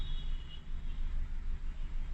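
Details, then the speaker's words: Four-cylinder car at idle, cylinder drop test with an active scan tool (Autel MP808TS). With cylinders 2, 3 or 4 cut, the same uneven low shake continues unchanged. That cylinder is contributing normally. "Cylinder 3 dropped, same thing. Cylinder 4 dropped, same thing. So again, this car doesn't have any problems with the cylinders."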